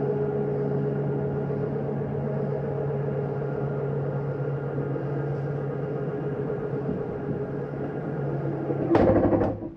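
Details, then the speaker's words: Bedroom slide-out of a 2023 Jayco Jay Flight 324BDS travel trailer retracting with doors and drawers closed: even motor drone for about nine seconds, then a short harsh burst as it bottoms out fully in, the normal end-of-travel sound. "you hear that noise, you may hear it going out, coming in. That's just the slide mechanism saying, hey, I'm all the way in."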